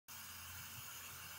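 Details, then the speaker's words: Hypertherm Powermax30 plasma cutter running: a constant, sharp, non-pulsing hiss of compressed air leaking from the cracked water separator filter bowl. "I fired it up the other day and as you can probably hear a little bit of an air leak"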